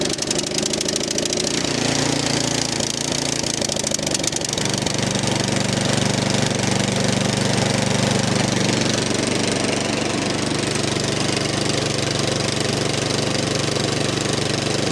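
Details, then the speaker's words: 13-year-old MTD snow blower, Powermore 208cc, started on full choke with two primes after the fuel line was refitted: rough, clattery firing at first, then it settles into a steady, even beat while warming up, with no hunting at all. "Okay. She's running. I'm gonna let her warm up a bit. Ooh, it's not hunting at all."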